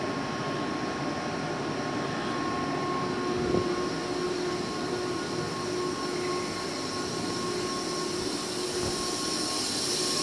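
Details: 2005 Boge 40 HP variable-speed compressor, 480 V, 79131 run/1909 loaded hours, at max rpm rebuilding pressure after a ball valve is opened, about 68–70 dBA: smooth steady hum with a constant mid-pitched whine, no knocks; normal running.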